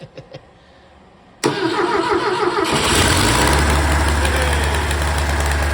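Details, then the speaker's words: Ford Kent KSG416 engine in Bobcat 632, first test run after freeing soft seize with new rings and cylinder hone, weak battery on charger: cranks, catches into slightly uneven idle, a little rough, needs tuning. "It was running, let me turn this off. It was running a little bit rough, but not bad. Not bad for a first test run."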